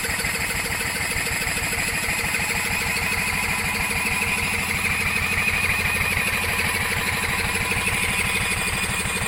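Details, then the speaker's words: Coleman Contractor 4200 generator sitting for years, spun with a drill on the pulley, fuel squirted straight into the carb: small engine catches with fast uneven put-put about three beats a second; runs only on primed fuel, fuel-delivery problem. "Okay. So just shot fuel straight into the car. She's a runner."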